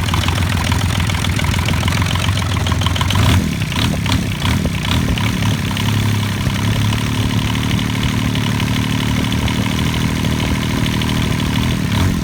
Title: Bench starting 3 cylinder kubota diesel for band sawmill